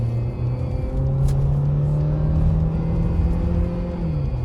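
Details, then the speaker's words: 2010 Ford Fusion road test after broken engine mount replaced (noise seemed like transmission): engine pulls smoothly with even low drone rising with revs, no grinding or clunking under load; normal acceleration. "Olha a diferença do barulho do carro agora aí, ó. No começo do vídeo vocês lembram o barulho aí, ó."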